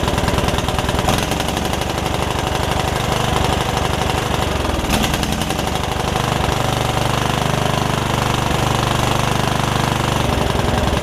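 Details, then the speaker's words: Free Yard Machines riding mower, single-cylinder engine that had filled with water after sitting with air filter off, first start after revival, valves not gapped: loud chugging with uneven, stumbling beat and occasional hiccups; owner suspects running rich, rough running. "the fact that it runs that good it's still got a little bit of a something going on but i'm not sure like it's running a little rich or something"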